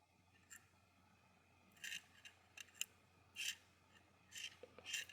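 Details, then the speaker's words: Seiko SRP581 "Sea Monster" automatic watch rattling inside: faint irregular scraping rasps in short bursts as the rotor swings, no steady tick. The rotor's center screw was loose, letting the rotor flap around and catch; before tightening. "what I found was that the rotor the center screw for the rotor was not quite on there good that little center part there it was just kind of making the rotor flap around"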